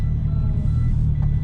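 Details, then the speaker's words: Hino Dutro turbo diesel flatbed car carrier reversing: faint high beeps from the backup alarm on the tail light sit over a heavy, steady diesel rumble. Normal reversing alarm. "oh yeah it's got a it's got a backup like siren on the uh on the tail light can you hear"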